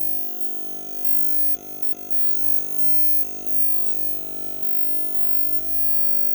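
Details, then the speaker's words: Power Jack 15 kW inverter in its failure (failsafe) mode, disconnected from the house with about 167 W of garage lights as load: a steady electrical buzz with a stack of high tones that never changes; an abnormal hum. "okay so this is that failsafe mode I was telling you about and I don't know how well you can hear this"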